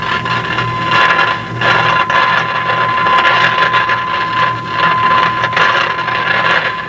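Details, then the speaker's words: Philco 50-920 tube radio under repair, signal generator injecting 455 kHz IF signal, weak signal getting through: irregular crackling, sizzling bursts over a steady tone; frying noise, bad capacitors inside the IF cans suspected, not tubes. "that noise isn't good something tells me that there's bad capacitors inside the iaf cans because that's usually the only thing that causes this kind of frying"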